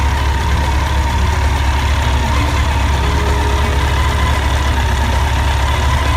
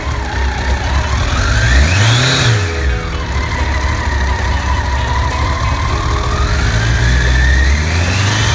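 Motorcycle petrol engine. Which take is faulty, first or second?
first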